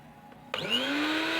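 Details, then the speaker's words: Miyako BL 102 GS blender, previously totally dead, after repair by resistance-checking its components: motor spins up within a split second to a steady, even whine with no rattles or grinding; runs normally and smoothly again. "Nah ternyata sudah hidup kembali dengan normal ya teman-teman, dan terdengar masih halus ya."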